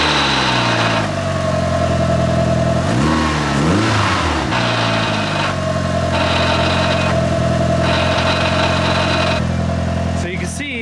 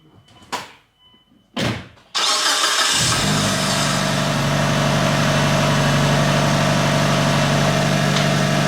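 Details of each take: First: Mitsubishi Evo 5 with old clutch before replacement: engine running with rough metallic clatter and on-off whine under revs; worn, loose clutch pressure plate chattering, owner suspects it causes damage. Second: Mitsubishi Evo 5 after an ACT twin-disc clutch install, first start checking whether the old noise is gone; the transmission had no oil yet. Two short cranks, then a steady, even idle with no knocks or grinding, a normal start.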